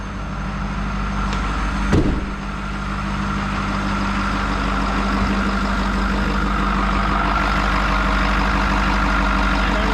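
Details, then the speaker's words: Ford 6.7 Powerstroke diesel with 669,000 km, first start after S&S DRC conversion install, cranks briefly to prime rails then settles into a steady, even idle with a faint whine on top; healthy. "that too bad it's running get uh she's running she's fired"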